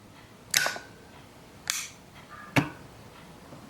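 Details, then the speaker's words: 2004 BMW E46 heater control valve solenoid, removed and bench tested because driver vents blow colder than passenger vents: three sharp clacks with a sliding scrape; the plunger rubs and sticks instead of snapping back, and lubrication is planned. "but I think it's getting it's not going completely straight in and out and so you can kind of hear it too it's rubbing"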